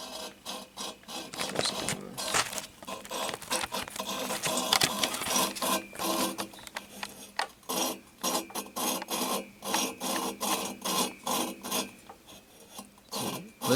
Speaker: we're going to be in this guy right here so you hear how it's grinding in there